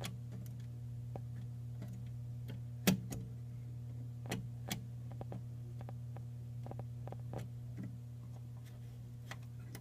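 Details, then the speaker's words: 1942 Philco 42-1008 code 122 tube radio after recap, powered on with heaters glowing, volume up: only steady low hum with scattered ticks and crackles, no usable audio; fuse not blown, 7C5 tube did not light, fault not yet found. "It's making some sort of noise. nothing usable."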